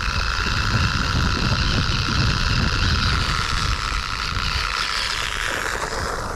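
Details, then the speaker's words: Sand Master 2.0 entry-level RC car with a temporarily fitted GT2 motor, gearbox packed with grease, driving at constant speed: steady high whine over a gravelly rumble from the drivetrain, gearbox whine; cause not found, drives fine. "I'm trying one one thing at a time trying to Li work out what this noise is um so yeah I I I honestly don't know it's a bit of a head scratcher I mean it drives fine it's just on a noisy side"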